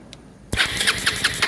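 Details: Bajaj Rouser 220 motorcycle that won't start, checked for spark, compression and fuel. Crisp, fast cranking with even compression pulses about six a second and no dragging or clicking; the starter turns strongly.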